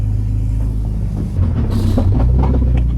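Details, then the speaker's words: BMW E46 328ci drift car with a newly installed axle after the previous one blew; heavy low rumble under the engine note that swells while driving, likened to bowling balls; owner attributes it to the axle, not confirmed. "My axle's making some crazy noises. Sounds like bowling balls."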